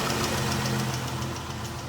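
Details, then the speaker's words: 2014 Ram 1500 3.6L V6 at idle, recorded from under the truck; light fast ticking from the left valve cover, traced to a bad lash adjuster. "I complained about a ticking noise. Ticking noise appears to be coming from the left side valve cover. I'm thinking about like a roller lifter or rocker arm type noise."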